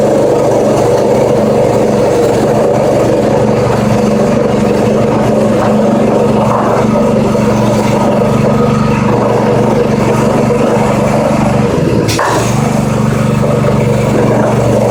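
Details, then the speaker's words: Brand-new Predator 212cc 6.5hp four-stroke single-cylinder (Harbor Freight Honda clone), run at about half throttle after a choke start with stabilized fuel. Steady, even buzz with no misfires or surging; normal running. "Completely floored with how well it started."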